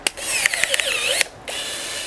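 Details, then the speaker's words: Battery pruner cutting fairly soft wood at about its maximum size: high buzzing motor drone labours, pitch sagging under load before freeing; struggling right at maximum capacity but still completing the cut. "She's struggling. As you can see, it's right on the maximum capacity, but it is still doing it."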